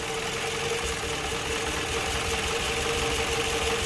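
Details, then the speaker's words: Toyota Harrier warming up at idle with RPM hunting and engine vibration: rough, lumpy idle with an uneven beat and periodic stumbles, one cylinder dropping out; diagnosed as a weak ignition coil needing replacement. "Berarti udah ketahuan penyakitnya Hai di kuilnya kuilnya ini harus kita ganti"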